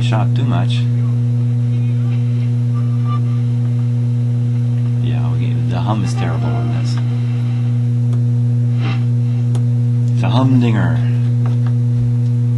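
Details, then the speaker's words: Yugoslavian-built Florida AM/FM/SW tube radio on the shortwave band: a constant low droning hum under the tuning noises, which lessens with the volume turned all the way up; probably from the power supply. "Well, I'm sure you can hear the hum now. And if I turn the volume all the way up, the hum kind of goes away a little bit anyway."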